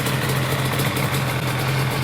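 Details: Restored Yamaha Banshee two-stroke quad with billet crossover, after first rebuild round: steady low burbling idle, even pulse, no misses or surging; healthy.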